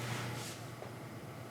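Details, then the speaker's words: Faux electric fireplace rotisserie motor after fixing. Once the motor was unfastened and foam placed underneath as an isolator, it runs with only a faint steady hum and no vibration rattle. "You notice that the rotisserie is spinning and there's no noise? Well, I unfastened the motor, put a little piece of foam underneath it, and it's quiet."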